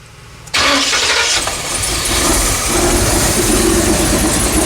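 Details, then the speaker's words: 1982 Chevy G30 camper van V8, progressive four-barrel carburettor, after distributor reconnected and base timing set: strong, steady roar with no misses; running smoothly. "Turn that idle speed down a little bit now that we've got our proper base timing. Looking pretty good, sounding pretty good."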